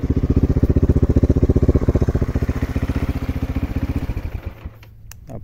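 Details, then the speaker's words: Victory MRX 150 motorcycle after repair: it had stalled and would not respond to throttle because of damp, badly taped wiring near the headstock, now rerouted and protected. Steady, even single-cylinder putter, about three beats a second, no cutting out. Normal idle. "ya la moto ya no tiene falla ya la movemos para ambos lados y la motocicleta nos prende bien"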